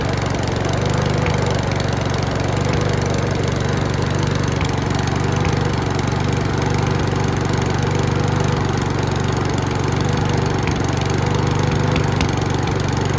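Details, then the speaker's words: Mountfield V35 150cc push lawn mower running: faint irregular popping with hunting and surging speed, before a carburetor clean. "Can you hear it popping? Now hunting and surgeon's coming into it as well."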